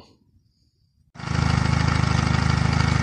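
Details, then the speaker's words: Mariner/Mercury four-stroke outboard on earmuffs with fresh water, after overheating-alarm repair with powerhead gaskets reused: catches at once and settles to a steady even idle, now pumping much more cooling water out the exhaust. "I've putting out a lot more water than it was before and you see out the exhaust is water coming out the exhaust"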